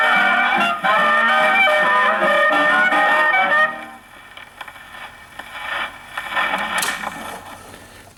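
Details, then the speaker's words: Paillard model 302 portable gramophone, suspected late 1930s, with a factory large reproducer and small horn, playing a late-1920s Tommy Dorsey electrical record on low tone: loud dance band comes out harsh and crowded up top; the horn is too small for the record. "Now, it doesn't sound horrible. I don't want to say that. But it sounds like the music is trying to shout itself down the horn because it's too small. It's too small for the record."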